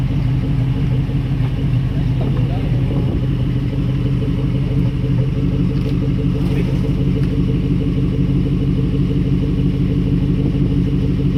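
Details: Truck that wouldn't start due to water in the gas tank, tank drained and refilled with new gas: steady, even low rumble with no misses, knocks or stumbles; normal smooth idle.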